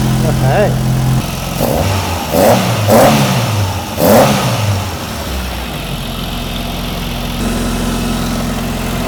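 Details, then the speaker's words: Ford Mk2 Escort fitted with a five-cylinder Galaxy engine, first start after much cranking (possibly flooded), noisy fuel pump: a few uneven bursts, then a steady even idle, running a bit rich, with exhaust paint smoking; starts and runs fine. "Okay, it actually sounds all right for a Galaxy engine. Yeah, it's running a bit rich."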